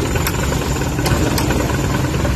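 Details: Suzuki K6A petrol engine idling with AC and fan on: low, uneven shaking rumble and heavy vibration as the AC loads it; IACV idle-up issue, later fixed.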